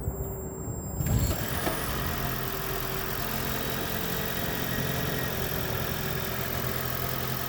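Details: 2010 Toyota Prius after knocking and rattling fixed: engine catches and settles into a smooth even idle, steady low hum, no knocks or rattles.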